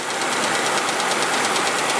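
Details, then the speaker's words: Ford Explorer/Mercury Mountaineer 4.6 V8 after a cold start, warmed about a minute to slower idle: fast, alternating metallic rattle from the engine front, not a solid lifter tick; timing chain slapping cover or valve cover, worn plastic guides suspected. "That is coming from the front of the engine. It's the chain bouncing around, hitting either the aluminum cover or the top of the valve cover."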